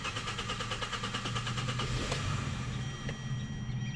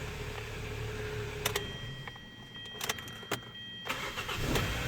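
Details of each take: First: 2013 Hyundai Sonata 2.4 GDI with long-crank problem, fuel pump relay removed before high-pressure fuel pump replacement, cool engine: runs briefly with a soft, uneven pulse then dies as fuel burns out; stall from fuel starvation. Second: 2013 Hyundai Sonata 2.4 GDI after replacing the high pressure fuel pump, which cured a long crank before starting: several short cranks each catch at once and settle into a steady idle; a normal quick start.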